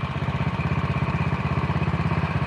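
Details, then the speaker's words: Honda Win single after clutch rubber and bushing modification, idling: steady, even thump with no knock or clatter; neither very rough nor perfectly smooth, a sound idle. "Ora gemblodok nemen ning yo, ora halus nemen"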